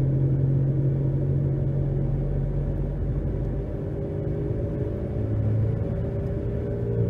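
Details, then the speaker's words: 2011 Nissan Rogue, front-wheel drive, new balanced tyres, accelerating to 60 mph, before front hub replacement: deep steady droning hum over tyre rumble, with slight pedal and steering vibration; worn front wheel bearing. "A nice hum, some vibration in my pedal, vibration in the steering wheel, slight."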